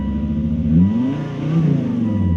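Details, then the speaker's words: Volvo XC70 just after a timing belt job and wiring harness rewire, freshly started and not yet warm: revs surge up and fall back unevenly on barely any throttle, with a backfire. Owner suspects misfire or a failing throttle position sensor. "that felt fine in mint right there i' barely even touched the gas and it wanted to rev right [Music] out that backfire is misfiring or something huh"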